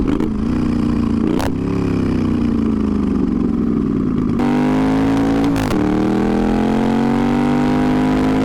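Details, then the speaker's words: Twin-turbo Moto Guzzi V50 III cafe racer on its first ride: loud, throaty pulls up through the revs with sharp whooshing blow-off valve releases on lift-off; the rider says the mixture is too lean. "We got some, dude. The blow-off valve went off. It's too lean."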